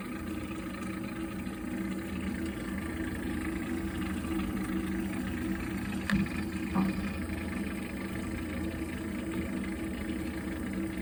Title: Heating water strange noise problem Viessmann Vitodens 100-W B1KF-19